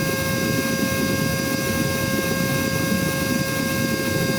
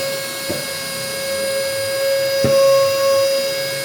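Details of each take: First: Cordless vacuum (little dolphin) run from a full charge, about four minutes in. A steady high motor whine over airflow rush, and the power and sound are heard dropping as the battery drains. The motor is losing speed. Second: Cordless vacuum (little dolphin) run from a full charge, about one minute in. A clean, steady mid-pitched motor whine with no rattle or sag. Normal running.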